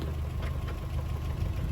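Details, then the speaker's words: Toyota 4Runner 22RE after a full engine rebuild with a new clutch, during break-in: a fast, even ticking knock in step with the idle is the fan shroud hitting the fan, which needs adjusting, not an internal knock. "fan trout kept hitting the fan I needed to adjust it but uh yeah I thought I had a knock there for a second"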